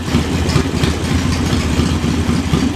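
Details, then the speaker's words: Uneven, stumbling idle with irregular low pulses on JS flatside carburetor, running lean as the air mixture screw is opened toward one turn out; rough idle from lean mixture. "now open it up here it's starting to smooth out quarter turn don't know one turn s to get rough again"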